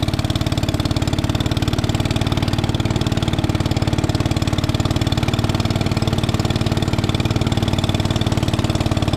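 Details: 1961 International Cub Cadet Original, 7 hp Kohler single-cylinder, started on choke and still a little cold while warming up: quick, regular thump about four beats a second, steady and even; normal idle.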